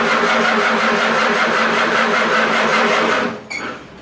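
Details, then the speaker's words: Farmall Super A tractor, after ground work and replacing wires to restore spark: steady fast starter cranking about three seconds with no catch, then stops. "well we did get a fire one poof of smoke out of the top so we're going to let this thing cool down a little bit and then we'll give it another try"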